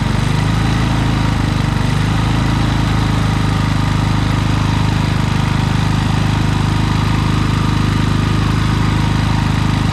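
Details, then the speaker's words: Predator generator, many hours, surging after running a week straight and running out of gas; carburetor tightened, air filter shroud off; loose uneven hunting rhythm, actually caused by a misadjusted idle screw limiting the electronic idle, fixed by adjustment. "so well guys it wasn't really the carburetor i mean there was some dirt in it but it was actually just this little idle screw right here"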